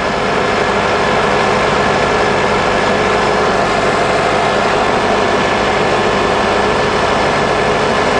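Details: 2003 Honda Accord 2.4, warm and running a while after replacement of an overheating, undercharging alternator that caused a whining noise: steady, even idle hum with no whine, knock or squeal.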